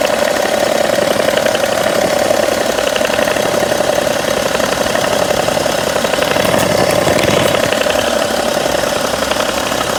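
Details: 2011 BMW 335d, 286 hp, 205,000 km, warm idle: faint light ticking from the front, toward the damper pulley. It lasts about 2 s every 3 s, disappears with a little throttle, softens with A/C on, and is absent when cold; source unclear.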